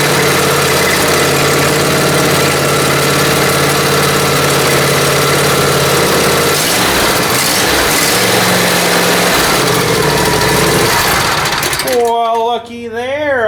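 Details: Briggs & Stratton Intek M44 twin after full carburetor teardown and ultrasonic cleaning to cure surging: steady, even idle with no rising and falling, settling smoothly; surging gone.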